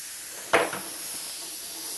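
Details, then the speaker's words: Mr. Heater Big Buddy propane heater, disassembled with oil-clogged fuel lines: brief sharp quarter-second hiss from a fitting not seated properly; gas leak at fitting. "That noise you hear is this thing here. It's not on right, so it leaks. No big deal."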